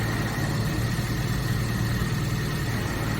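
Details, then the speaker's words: Suzuki Samurai on its first drive after restoration work, idling in neutral, clutch pedal pressed and released: steady, even low idle with no knocks, rattles or clutch noise, sounding the same either way; normal idle. "Okay, it's in neutral. That's with the clutch out. That's in, out. To me it sounds about the"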